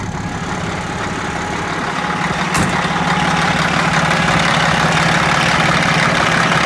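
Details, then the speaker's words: 1980 Chevy Bison truck, old 1674 diesel with glow plugs: rough rattly clatter building in loudness just after start-up; it cackles really bad when starting, cause unknown. "she cackles really bad when she starts"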